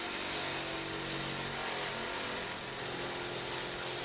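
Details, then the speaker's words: LabVolt synchronous motor started with maximum dyno load and maximum excitation: harsh, rough buzzing roar with shrill hiss, never settling, torque about 1.36 N·m; too loaded to pull into synchronism. "initially turn on the power now you'll hear the motor made quite an ugly sound"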